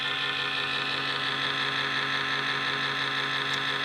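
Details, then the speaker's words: Laptop cooling fan: steady loud high whir with constant tone, fan running hard and noisily; loud fan noise. "That's that annoying fan noise on your laptop. Let me show you how to repair it."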